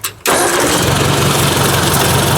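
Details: Ford 800 tractor, warmed up with thermostat open, shut down and restarted: short crank, catches at once and settles into an even idle; normal hot restart.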